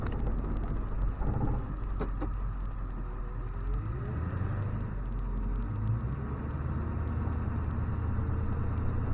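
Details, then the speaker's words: After replacing the failed turbo with a KC Turbos Stock Plus unit (no back pressure valve), a 2000 Ford F250 7.3 Powerstroke diesel pulls hard under load with a deep, steady rumble and no surge, flutter or screech. It makes about 28–30 psi boost with EGTs around 1200 on the lowest tune; turbo spool is normal. "that's about 28 pounds 30 pounds of boost definitely got boost sure 20 pounds is easy"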